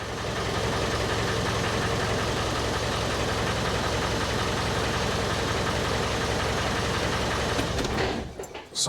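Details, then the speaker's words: 1994 Land Rover Defender 2.5 Tdi diesel idling briefly just after oil and filter change, unrevved, oil pressure light out: even, steady diesel clatter with no misses or odd knocks until shutdown; sounds healthy. "will shut it off there that's all it needs just to a few seconds to run let it circulate and fill up the oil filter and all the galleries"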